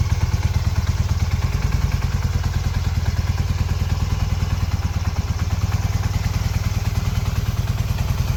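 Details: 1981 Honda CM400 twin, revived after sitting since 2000: even, steady thumping at a settled idle with no knocks, misses or rattles; owner says it pulls great and runs great. Normal running.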